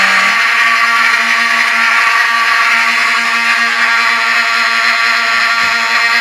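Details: Vintage Wheelock 7002T horn strobe on demo board after pull-station activation: loud steady horn with brief regular dropouts as it skips, each strobe flash drawing power from the horn.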